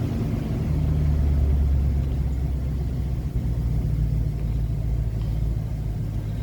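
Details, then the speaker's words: 2007 Chevy Express 3500 van idling steadily with no knocks or ticks after a new Melling high-volume oil pump was fitted and primed; good oil pressure restored after repair; normal idle. "she goes we got good oil pressure again"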